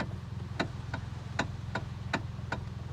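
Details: 2013 Hyundai Elantra at idle, owner reports a strange noise while driving at about 60 mph: sharp, slightly uneven ticks at roughly two or three a second from the steering column area.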